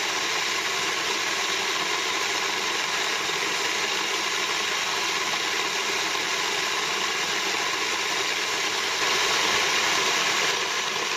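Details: Moulins d'Alma individual stone mill grinding grain for wholemeal flour after sieving out straw particles: steady even gritty rush from the stones, no knocks, squeals or surging; normal grain milling.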